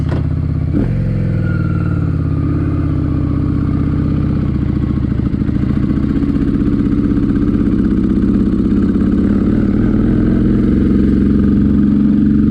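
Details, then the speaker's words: Honda Shadow twin ridden after mixture screw adjustment (about three turns out): uneven, lumpy firing pulling away, clattery pops and loud backfire, revs won't climb cleanly; rough running, cause unknown, more adjustment planned. "she's running like [ __ ] i think we're gonna have to make some more adjustments"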